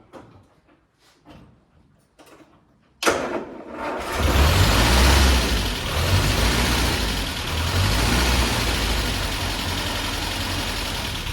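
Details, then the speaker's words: Land Rover Series 3, first start in months after head gasket replacement, intermittent starter motor: short cranking bursts, then catches and runs with lumpy, uneven beat; rough running, cause not yet known. "Okay, so that is really rough, but it did start."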